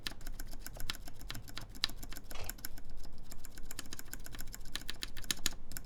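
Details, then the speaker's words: Mode Envoy mechanical keyboard, aluminum plate, Cherry MX Black switches, screw-in QMX stabilizers lubed with 205g0: uneven keystrokes with a thin bright tick. "so there definitely is a bit of ticking let's hear the space bar here makes it kind of too tight for this this bar"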